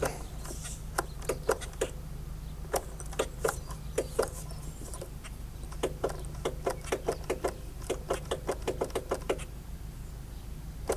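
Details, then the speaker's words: 2004 Polaris Sportsman 600 Twin ATV, parked most of its life: sharp irregular clicks over a low hum, never turning the engine over. Starter clicking, no crank. "oh boy sounds like the starter's a little rough click click you hear it"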